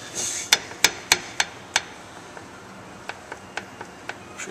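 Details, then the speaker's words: 1962 Jaguar MkII drive shaft rocked by hand during inspection: sharp metallic clicks, about four to five, from worn universal joints with free play. "so we come back here got the drive shaft we have some uh play in these U"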